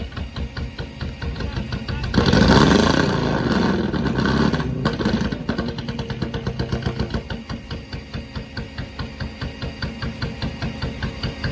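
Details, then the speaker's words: Newly picked-up 4-cylinder race car: an uneven, lumpy idle with irregular pops about two and a half per second and a brief rev surge; it sounds like a tractor, skipping and backfiring. Engine misfire and backfiring. "Sounds like a tractor. Something's wrong with it, man. What? Something's wrong with it. It's not supposed to sound like that. It's skipping, backfiring."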